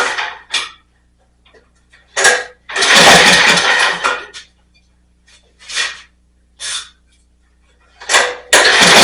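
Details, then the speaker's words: Snapper rear-engine mower, sat in a field for years, first start after carb work with no air filter element (open carburetor): catches in ragged bursts, dies and surges, keeps trying to stall; carb adjustment didn't help, running way lean. "So it was running, but it didn't run well. It's kind of kept trying to stall out. I played with the carburetor a little bit, doing the adjustment. Couldn't really get it any better. It's definitely running way lean."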